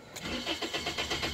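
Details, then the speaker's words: 2006 Toyota Corolla S cranked while a scan tool shows crank-sensor RPM, which reads zero and then 253: steady starter cranking at roughly seven even pulses a second, never catching; crank no-start from an intermittent faulty crankshaft position sensor. "and if it's zero that means the sensor is bad and it could be intermittent sometimes you'll get zero and then when you try starting it again you'll get you know to something and that's what this one was doing so it's an intermittent problem"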